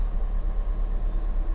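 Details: Fiat 500 salvage repair, small petrol engine idling after replacing the earth strap: smooth steady low idle with even pulse, no knocks or misses; battery light off, power steering fine, alternator fine.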